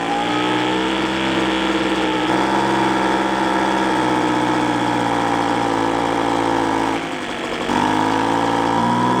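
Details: Free roadside small engine, carburettor mixture limiter tab cut to readjust air-fuel screw; steady buzzing run wavering and sagging briefly before picking up, spitting back; mixture set wrong, owner also suspects clogged exhaust.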